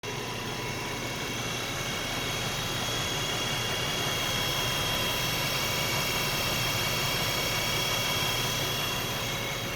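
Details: 2011 Nissan Xterra with a steady high whine of fairly constant pitch over engine and road noise.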